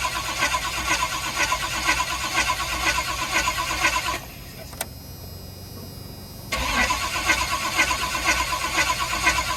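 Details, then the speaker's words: 1984 Pontiac Firebird cold start in snow, mechanical fuel pump priming through 20 ft of fuel hose: the starter churns steadily about four seconds, pauses, then cranks again without catching. Extended cranking before start. "So I have 20 foot of fuel hose, and it's a mechanical fuel pump. Oh! So I have to crank it a little bit and get it. So it's going to take a little bit of a while to get that primed up."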